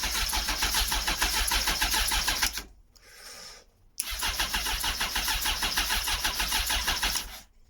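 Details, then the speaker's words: Motorcycle not started in a long time, choke on, clutch held in: fast steady starter chatter about three pulses a second, two cranking bursts, engine never catches; battery possibly drained, cause unconfirmed. "Yeah, no, we're not getting them started yet. I think that just took up quite a bit of power out of the battery."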